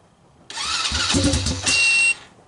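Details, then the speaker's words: China ATV with Kymco 125cc pit bike engine, cold start in snow, choke on, portable ignition: short cranking with a few ragged firings that die within two seconds; fires only on starting fluid, owner suspects stuck carburetor float. "yeah it sounds like the only firing on the starting fluid so i'm gonna have to pull the carburetor apart"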